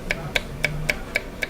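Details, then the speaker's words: VW cylinder head only just being run in: sharp, even metallic ticks about four a second from the valve train; suspected snapped valve spring, confirmed on teardown as one broken spring. "and have a see that we suspect that the spring snapped."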